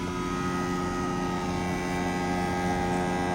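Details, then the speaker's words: EcoFlow Wave 2 portable air conditioner running inside a C7 Corvette: loud steady drone with a fixed hum and whirr, excessive running noise, cause unclear. "And it's noisy."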